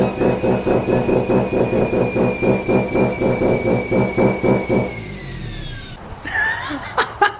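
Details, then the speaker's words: Mazda FD RX7 RS Series 8 bridgeport rotary with new Hypergear T51R single turbo on open dump, no muffler, first start, untuned: harsh, raspy pulsing about two beats a second with turbo whistle, then shutdown; extremely loud idle, possibly an exhaust leak near the turbo. "It is so incredibly loud. That brand new turbo on that dump frees up the entire exhaust section."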